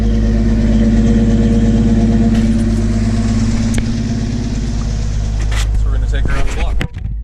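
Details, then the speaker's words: Toyota Land Cruiser after axle repairs, mirror swap and steering stabilizer reattached, started after sitting and on a test drive: smooth even engine note with steady low beat, no knocks or misses; healthy. "She sounds healthy. Sounds happy."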